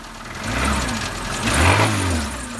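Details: Rod knock on a 2012 Renault Logan 2 with K7M petrol engine, blipped twice: dull metallic knock tracking engine speed, louder with each rev; catalytic converter broke apart, debris drawn into cylinders spun the bearing shells.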